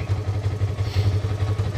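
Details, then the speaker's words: Salvage ATV with a broken part, idling at a Copart auction yard: low, steady, evenly pulsing idle with light patter and no knocks or rattles; "doesn't sound bad", normal idle. "uh that doesn't sound bad"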